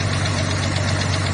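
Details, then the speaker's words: Old Ford 300 (4.9L) inline-six, fuel-injected, hydraulic valves adjusted, high-lift cam on factory springs: light, quick top-end ticking over idle that comes and goes with revs; valvetrain tick, owner suspects springs. "That ticket is coming from the top end. And I adjusted all the hydraulic valves and set everything. And now look, it goes up and it goes away and then it switches."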